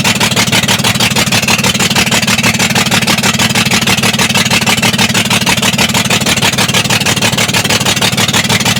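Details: BS6 2825 diesel at idle: steady lumpy thudding pulse about three times a second, misfire from a faulty injector.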